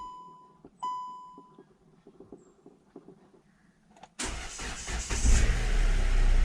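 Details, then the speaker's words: Hyundai Creta after its battery was restored with solar charging and reinstalled, previously starting under load: quiet chimes and clicks, then quick crank and engine catches at once into strong even run; starting now perfect. "अभी देख रहे हो आप starting मतलब बिल्कुल perfect हो रही है स्टार्टिंग, और इससे पहले जो स्टार्ट हो रही थी गाड़ी लोड लेके स्टार्ट हो रही थी।"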